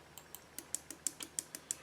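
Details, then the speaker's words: Husqvarna 562XP chainsaw (came in not running, low compression) on Common Service Tool diagnostic test at about 21 °C: crisp light clicks about six per second; the valve is working normally. "that clicking that means that valve is working"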